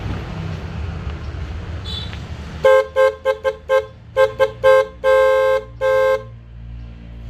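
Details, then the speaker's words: Toyota Yaris snail horn pair before replacement with new Denso waterproof set: short honks on one thin single pitch, no second tone; one of the paired horns is dead. "Nah, kayak gitu, Guys. Jelek banget untuk sekelas klakson keong karena kan yang hidupnya cuma satu."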